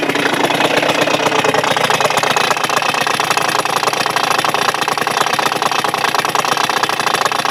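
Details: Suzuki Address 110 scooter engine, previously rebuilt with Japanese parts, temporarily fitted loosely to the frame and started first try: fast steady metallic rattle over an even idle, unchanged from before; source unconfirmed, engine must be disassembled.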